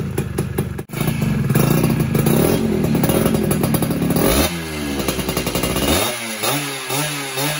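Crisp ringing two-stroke idle, then clean blips whose pitch sweeps up and drops back without stumbling; carb is set right.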